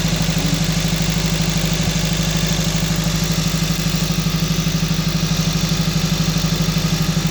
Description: 2012 honda civic si misfire at high idle only the scaner shows code for misfire all 4 cylinders but when tested with scope only #4 cylinder injector is failing needs to replace the ecm